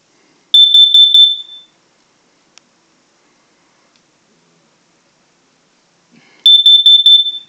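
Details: Household smoke/carbon monoxide detector test in a house: two bursts of rapid shrill beeping, about a second each and six seconds apart, its normal test alarm pattern. Afterward the detector resets, with its light going solid again after about a minute.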